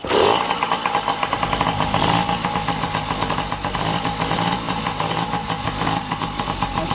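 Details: Yamaha PW50 two-stroke, sat in a shed for years, starts and settles into a buzzy, slightly uneven idle with crisp popping; running on fresh premix with oil-injection hose off and no air filter; normal idle.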